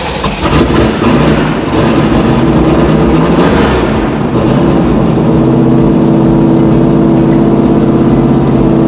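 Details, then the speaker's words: 6.2 LS V8 swapped square body crawler on Holley Terminator X, first run, warming up: catches and lopes unevenly, speed sagging and hunting, barely holding idle. "yeah we need to get it close enough where it's trying to idle and then re-learn she's trying"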